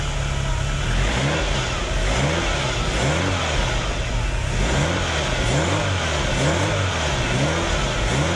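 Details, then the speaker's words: Ferrari with K-Jetronic, after cleaning and greasing fuel metering unit contacts and reassembly: starts cleanly, several crisp blips up and evenly back down, no misfire or hesitation; normal revving. "okay all right guys put it all back together let's check it's all working"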